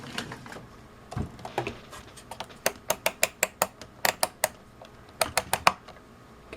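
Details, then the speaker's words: UNI-T UT61E+ multimeter function switch just after a 50,000-cycle life test: crisp, sharp detent clicks in quick even runs as the dial turns; switch still snaps cleanly and healthily. "can hear it clicks pretty good still. Again, the meter on the right is the one that I purchased originally, so this meter is a little over 2 years old. Let me just rotate the dial on both meters to give you an idea what the two sound like."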